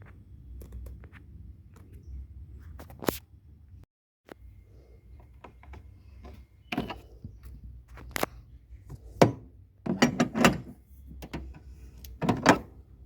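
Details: Older Alza driven on a bumpy road. Irregular dull thunks and clunks from under the rear as it crosses bumps, quiet between hits. Rear suspension knocking.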